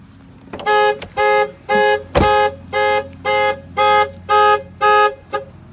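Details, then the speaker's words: 2003 Corvette C5 sitting over five years; alarm triggered by key fob gives nine even, loud two-tone chirps, alarm and fob working properly. "well, at least the alarm works and the key fob works. So that's cool."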